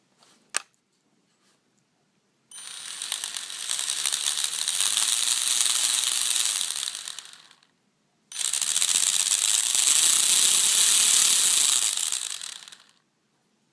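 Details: Small RC car drivetrain after several upgrades: two bursts of harsh, rapid ratcheting clatter as the motor spins up and down; spur gear noise suspected, not confirmed.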